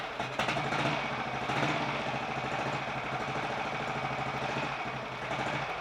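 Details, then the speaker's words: 1951 Royal Enfield Bullet 350 G2, first start after full engine rebuild (worn parts and timing-side main shaft play fixed): steady even thump with light valve clatter, no knock, pumping oil, condensation smoke; mechanically quieter, healthy. "that sounds quite happy with life that's condensation of smoke [Applause] [Applause] and i think the engine is uh quite a bit quieter mechanically too"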